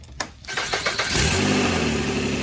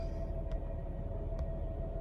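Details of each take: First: 2003 Nissan Altima 3.5 after replacing the alternator and retensioning the belt: starter cranks briefly, engine catches cleanly and settles into a smooth steady idle with an even low hum; runs healthy. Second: 2003 Nissan Altima 3.5 at idle with battery and brake lights on: steady mid-pitched whine over an even engine rumble; failing alternator, whine sometimes goes away when given gas or on the highway.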